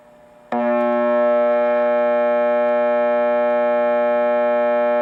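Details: Macdonald CE-100: steady, buzzy mains hum starts abruptly and holds constant; new capacitors didn't cure it; caused by a bad circuit-to-chassis ground connection.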